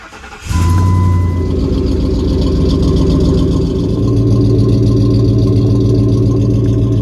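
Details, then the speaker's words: 2004-2008 Ford F-150 starting after fitting 35x12.50R18 tires on factory rims. Quick crank, clean catch, then a smooth even idle with a steady low rumble. Normal start and idle. "Sounds good."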